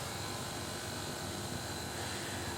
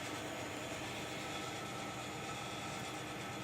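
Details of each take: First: Air conditioner, brought in for indoor-unit noise and no cooling, running in cooling mode after repair: a steady, even hum with a faint high tone and no rattles; suction is 110 psi with about a 15° temperature drop, so it is working normally. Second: AC indoor unit that is noisy and not cooling: steady loud rushing hiss of refrigerant gas flow as the compressor runs, because the replaced discharge valve is a common one lacking the restrictor/expansion valve.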